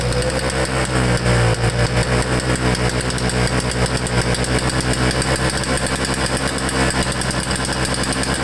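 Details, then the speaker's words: Flooded Toro Snow Commander snowblower, likely two-stroke, pulled over with fuel line disconnected to clear the spark plug after carburetor work: rough, uneven firing about 160 beats a minute as the flooded cylinder burns off excess gas. "I gave it a couple pulls and it sounds like it wants to start, and like I said, I still have the fuel line disconnected, so we'll see if I can give it a few more pulls and that spark plug will be cleared up"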